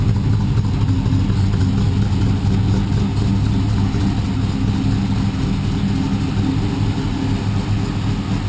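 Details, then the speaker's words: G-body car with LS3 525 V8 swap, exhaust pipes from motor to mufflers still needing rework: steady even low rumble with a smooth lope, no knocks or misses; normal idle. "Very, very smooth. No problems at all."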